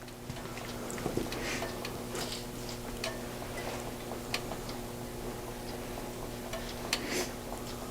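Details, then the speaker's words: Marley MUH35C Qmark 240 V electric heater controlled by Nest thermostat after rewiring: soft, even fan hum with scattered ticks from the heating element creaking as it warms; normal heater operation. "we should have here the element creaking and coming on which we can hear the element creaking and heating up and coming on and when it reaches temperature the blower should come"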